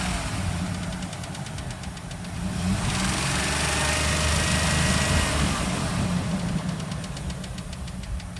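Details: 2004 Dodge Dakota 3.7 V6 farm truck: sharp even metallic ticking about four per second at idle, clicking up to 3000 rpm then gone, present almost a year; shop said it isn't the engine, engine ticking at idle.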